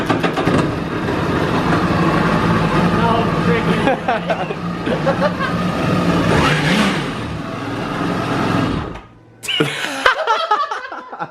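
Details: 2011 Yamaha WaveRunner VX110 Deluxe jet ski that sat for years, first start after a compression test. Engine catches and runs with a steady, even note and a couple of throttle blips; normal running.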